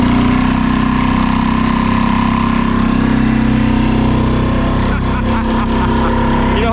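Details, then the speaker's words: Small cabin boat outboard at full throttle surging with an uneven, hunting, ragged note and later cutting out; owner suspects fuel cutting, possibly a blocking fuel filter, not confirmed. Engine surging. "You can hear it surging a little bit. It's going a bit raggedy. Not really sure what's going on. I suspect it's some kind of cutting of fuel."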